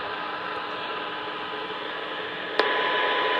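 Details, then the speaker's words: Icom IC-707 HF receiver on a Rohde & Schwarz CMS33 test set, 7.2 MHz AM, 60% modulation 1 kHz tone at about 0.3 µV; steady hiss jumps up with a click as the preamp switches in, a normal rise, attenuator then restores it. "You can hear there the preamp's coming on. Set the attenuator so it totally gets rid of it, and that's back to normal."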